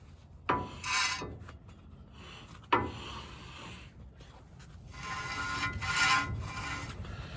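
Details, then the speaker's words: 1936 Chevy Coupe, driver's side front wheel jacked up and turned by hand; light uniform scraping rub, dust shield detached and resting against the disc, noise stops when pulled away; brake dust shield rubbing rotor. "again driver's side just feel a uniform sound but it sounds more like the dust shield see if i can adjust that"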